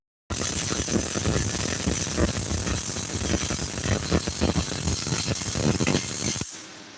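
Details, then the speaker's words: Student welding downhill, tying in and staying straight: continuous even crackling sizzle for about six seconds then stops, a stable MIG arc laying a really good bead. "he's he's dropping a really good b we're working on downhill tying in uh staying straight right now that's what we're doing so he's doing good man"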